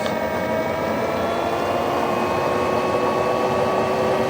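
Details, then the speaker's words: VARMINPOOL 220-volt variable speed pool pump, new install, at speed 4, full speed (4000 RPM), moving water with strong pressure. Steady high whine with even tones and a constant hum. Normal, smooth running. "All right, so we got it cranking up at 4,000 RPMs right there. It's really moving the water."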